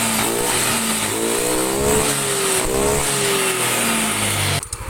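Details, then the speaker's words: Yamaha NMAX that had a rough engine and coolant spraying from the radiator, after repair with a new gasket: engine revs up and down smoothly with no knock, no radiator spray, and easy starting, confirmed by a 6 km road test. "mesin sudah halus suaranya air radiator sudah tidak nyembur"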